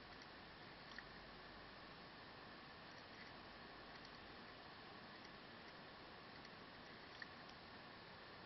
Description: So I have this asus n56vb for 4 months and now I started to hear weird sound from it from time to time, its like clicking sound or something, it looks like it comes from bottom of the computer (maybe).